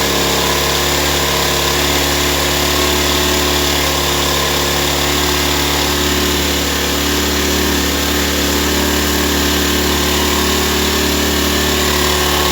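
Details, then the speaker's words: Ryobi 1200 (1.2 kVA) generator, 3 hours use, stored 3 years, wouldn't start; after carburetor cleaning, reassembled restart on choke: constant even speed, steady hum, no surging or stumbling; normal running. "Okay guys, this was a success story. From I don't know what is wrong answer to the owner, to a 10-minute job to get it running and another half an hour to clean up the carburetor."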